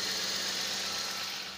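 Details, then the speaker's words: Toyota Corolla with intermittent hard start/no start and stalling, after replacing igniter and four high-tension cables, plugs already new, borrowed battery, charging 14.4 V: quiet, even idle, soft steady hum under airy hiss, no knocks or misses. Normal idle. "So ayan Yan, umandar na siya guys. So okay naman yung andar niya. Tahimik."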